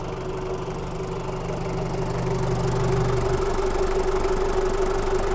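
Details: 1997 Daihatsu Taft Rocky, recorded at the engine bay: a steady, even diesel clatter at idle with a low drone and no misses or extra knocks; the engine is sound with no smoke.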